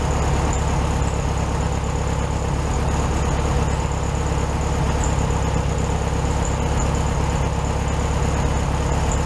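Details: 1967 VW Beetle 1500cc air-cooled, warm idle after carburetor reinstalled with new base gasket (second fix); steady, even, a touch fast, no misses, stumbles or knocks; engine healthy, idle probably slightly high.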